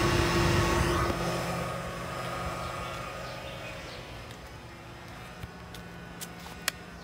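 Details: Chevy Bolt EV charging in hilltop reserve mode, on reaching capacity: loud rushing fan with low hum from radiator area that slowly winds up, returning to normal when unplugged; owner assumes radiator fans working overtime but says it doesn't sound right.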